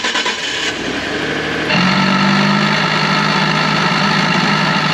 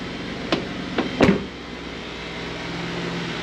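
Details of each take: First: 2012 Ford F150, before repair: engine catches, then a constant buzzing drone from the electric vacuum pump behind the driver's side wheel well rides over the idle; failing pump to be replaced. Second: 2012 Ford F150 after vacuum pump replacement, heard near the pump behind driver's side wheel well: handling clunks then faint steady low hum, no buzzing or rattle; pump runs quietly, fixed.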